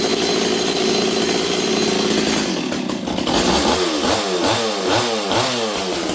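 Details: Rebuilt Stihl 026 chainsaw, warm, bar and chain fitted: uneven burbling, stuttering four-stroke beat; high-speed carb mixture deliberately set rich after earlier dangerous leaning out in cut, carburetor or fuel line suspected.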